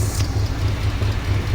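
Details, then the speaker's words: 1968 GMC truck V8, sat 30+ years, just restarted with a few gas leaks: deep, steady low rumble with an even pulsing beat and no knocks or ticks, sounds really good. "Got a few gas leaks, but it runs, it sounds good. I mean, it sounds really good."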